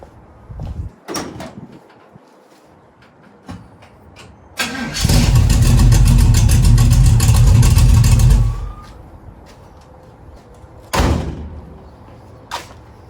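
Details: 1936 Chevy coupe after its starting problem was cured; brief crank catches almost at once into steady even run for about three seconds before shutoff: normal engine start.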